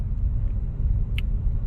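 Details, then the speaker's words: 2000 Buick Park Avenue idling after a restart, following a fix of the faulty ignition control module harness: steady, even low rumble with no knocks or misses, idling slightly fast, possibly around 1000 rpm, which the owner wonders is a little high; normal, healthy idle. "isn't it a little high to to go at a thousand for these engines is this like 800 or 600"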